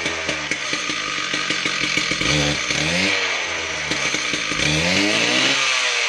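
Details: Husqvarna K760 Cut n Break concrete saw after head bearing and clutch drum replacement and belt tightening, test run: high-pitched two-stroke revs up and drops back cleanly several times, no grinding or rattle; runs healthy.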